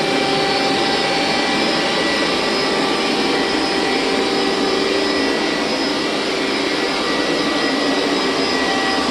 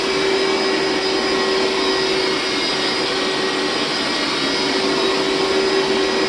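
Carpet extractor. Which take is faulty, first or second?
second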